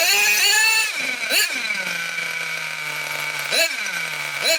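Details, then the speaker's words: Nitro RC car engine, cold and just started: quick revving bursts whose pitch climbs then sags and hesitates. It is running lean and starving for fuel, and the needle valve was then wound out about half a turn. "When I was revving it up and it was starving for fuel, you could hear it going, and that was partly because it was cold, but also because"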